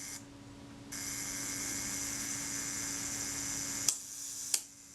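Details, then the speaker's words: Retina Reflex IV camera during service, shutter cocked and released via self-timer run down by holding the pin back; at the one-second setting the shutter opens and snaps shut after about two-thirds of a second, judged too fast from experience; to be checked on a timer. "shutter seemed a bit quick for one second and we'll engagement with the cam and i can tell that's too fast from experience"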